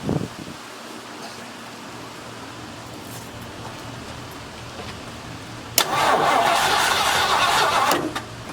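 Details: 1972 Mercury Montego MX after long sitting: the starter spins the engine at a steady beat for about two seconds and it never catches; no fuel coming up the line to the carburetor.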